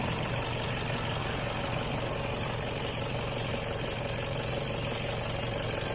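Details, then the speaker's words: Toyota D4D diesel after a fuel pump and system clean for warning light, sluggish acceleration, stalling at idle and smoke: smooth, even idle with steady low rumble, no knocks or misses; sounds healthy. "พ.ยขอฟังเสียงกันดูนะครับมีเสียงเครื่องยนต์นิ่มมากนะครับเพียงเครื่องยนต์นิ่มมากครับ"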